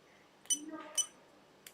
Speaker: You can actually hear the little relays click. Oh, we can hear the bleeper background